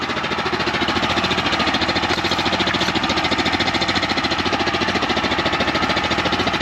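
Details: Champion 100812 generator (2019, 6,250 starting watts), used once then sat about four years, during revival: fast, steady pulsing under electrical load with slight hunting beat; small engine running rough and out of tune.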